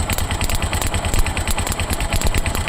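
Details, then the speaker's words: Tuk-tuk engine: uneven, choking idle with skipped beats when the clip is reconnected to the right-hand ignition coil. The misfire is traced to a faulty spark plug on that side; title attributes it to the right coil. "بيجي يركب الكلبس زي كده تمام تروح المكنه عامله عنده تقطيعه ومخنوقه منه في المشي"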